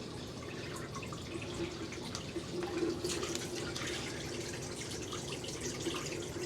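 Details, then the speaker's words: Magic Chef 1.7 portable washer, five years old, on spin cycle: a steady gurgling water stream splashes into the sink with no straining or grinding as the drain pump empties the tub. Normal drain pumping. "So the water's going to come through here. See? It does that perfectly fine. Which drains the water out, so it's not like the water is stuck or anything like that, you know."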